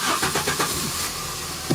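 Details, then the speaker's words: 2001 VW Cabrio 2.0L after fuel pump assembly replacement, first start after priming: few quick cranking beats, engine catches at once and settles to even idle; starts cleanly, no fuel leaks, fuel gauge working. "Whoa, start. There you go. It works."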